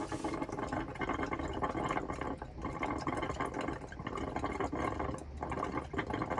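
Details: Elddis Autoquest 130 motorhome, hot side of tap drawing water through to fill the boiler before lighting it: uneven gurgling, spluttering and coughing bursts of air until pressurized; normal.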